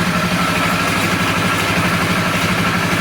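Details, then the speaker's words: Polaris 325 ATV single-cylinder engine after flood damage, water in engine, rebuilt with heavy oil on piston, rings and cylinder, first start: loud idle with light metallic rattle on each firing pulse from the loose carburetor bracket; may smoke from the oil. "That rattling sound is just this this bracket that holds the carburetor. Sounds good."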